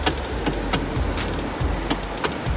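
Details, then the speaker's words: 2013 Hyundai Sonata GLS, before repair: irregular sharp clunks and clicks each time the steering wheel is turned side to side; worn small rubber coupler in the steering column, a known recall issue. "now that sounds pretty bad but it's actually not if you'll notice it's this tiny little piece right this piece is what gets worn in there"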